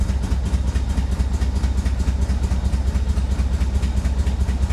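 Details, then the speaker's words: 1985 Chevy Corvette V8 rescued from Florida swamp, no gauges working: lumpy uneven loping idle about two pulses a second with clatter; owner suspects timing off, though firing order checked correct; cause unclear. "Boy, it just sounds like the timing is off or something."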